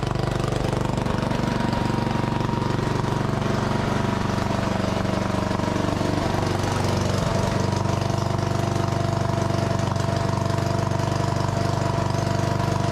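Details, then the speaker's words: Lincoln Weldanpower welder-generator with a Briggs & Stratton 16 hp engine, running on its old sticking, leaky carburetor after water was removed: single cylinder hammering at a steady fast beat, about four pulses a second; idle speed not regulating. "I've revved it up and then I actually was getting about 110 volts on the outlet plugged in an angle grinder it did run um it didn't seem to be regulating its idle speed"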